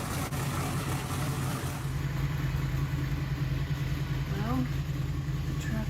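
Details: New 18-degree small-block Chevy, first fire-up, after advancing distributor timing from about 22 degrees: smooth, steady low hum at idle with an even rhythm and no stumble or pinging; timing set well, engine healthy.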